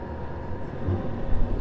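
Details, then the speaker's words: HCalory 4.5 L toolbox diesel air heater (8 kW) raised from heat setting H8 toward 10, the highest: low steady rumble swelling louder over two seconds as the chamber fires up; normal combustion fan ramp-up. "We're going to increase the heat. You see that's H8 [Music] setting and it will go all the way up to 10. That'll be the highest heat. Okay. I don't know if you can hear it, but it's ramping up"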